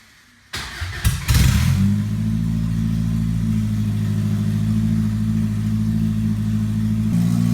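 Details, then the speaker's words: 1980 Toyota pickup with 20R engine and open shorty header, first start: quick crank, catches at once, sharp rev blip, then loud, steady, even idle; healthy normal start and idle, loud from no muffler. "très bien, elle est sur le point d'emballer le 20R sonne en bonne santé même si vous avez entendu qu'il est un peu bruyant"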